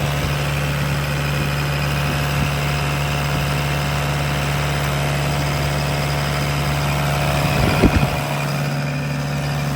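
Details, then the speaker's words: 2011 Bobcat E80 midsize excavator diesel, throttle turned up, heard from outside in cold weather: steady, even drone with constant low hum, no knocks or misses; running well, normal. "As you can hear, it's running well."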